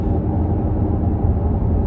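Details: 2018 Ford Edge Sport cruising, after tires rebalanced and rear pads and rotors done: steady low droning roar from the rear with no knocks; a worn rear wheel hub bearing, taken to the dealer.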